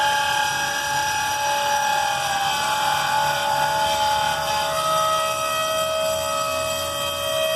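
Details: Freight cars being pulled after the Flint Hills grain derailment, Abilene, Kansas, October 2019: brakes locked up, piercing steady high-pitched squeal with shifting tones as the locked brakes drag.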